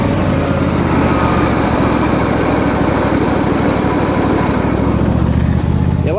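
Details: John Deere LA150 lawn tractor nearing 300 hours, mower deck with Gator mulching blades: steady engine drone, loud constant blade whoosh, no knocks or grinding; loud from strong suction, two spindles replaced, bearings decent. Normal deck operation.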